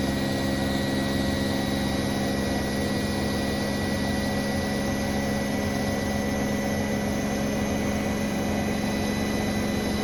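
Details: New Bosch Serie 4 WAN28281GB washing machine, final spin on a balanced load: constant high-pitched squeal over low drum hum; seal clear of drum, owner wonders about bearings or belt, source unclear.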